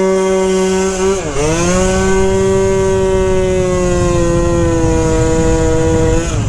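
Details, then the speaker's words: 120cc stroker Honda Elite two-stroke with the needle clip moved to the top setting and the air-fuel adjusted, held wide open: a high wail that dips, recovers and then sags; running lean on the top end, with the owner planning a 45 pilot and the clip moved down. "oh now it's running lean the top end yeah so it needs to be down jetted a lot pilot up jetted in the top end for sure it's not getting fuel in the top end now"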